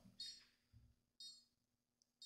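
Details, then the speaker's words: Konnected GDOv2-S smart garage door controller during setup after the firmware load, before Wi-Fi configuration: faint high chirps about once a second in a quiet room, repeated setup beeping. "Now we'll go to next. And here we go with the beeping."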